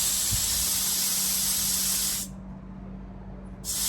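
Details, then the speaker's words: Peugeot 107 A/C system overfilled with R134a, gauge off the scale: a loud, steady hiss of refrigerant being bled off cuts out for about a second, then resumes. "Okay, now you can see that there as I'm letting that gas out. We've got absolutely loads"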